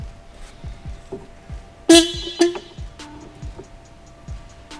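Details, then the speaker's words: 1972 TVR 2500M, long-sitting car with wiring being revived: on connecting a charged battery, two loud horn blasts go off suddenly over a background thump without any switch pressed. Horn sounding on its own, cause not identified; owner then tapes off loose hot wires. "that was weird [Music] well we know the horn works"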